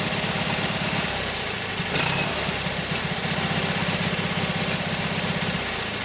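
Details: Kohler KT17 twin on first start after rebuild (lost governor), warm, oil pressure 50; steady, fairly even putter at fast idle, about four pulses a second, no knocks, runs healthy; carburetor tweak and max-speed setting (around 3,000–3,600 rpm) still pending.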